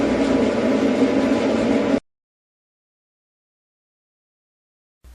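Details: Performa dryer after replacing the idler pulley and lubricating its arm, reinstalling the blower wheel and reassembling: runs with a steady, even whoosh and hum, no scraping or thumping, then cuts out; normal operation after repair.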